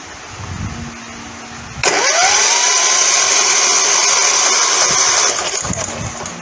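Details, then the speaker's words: Customer states it won't start; engine spins over fast and freely on the starter with spark plug still in, even whir and no compression beats; compression test confirms broken connecting rod, engine toast. "that's definitely not good and the final test yep that's not good we got broken connecting rod that engine's toast"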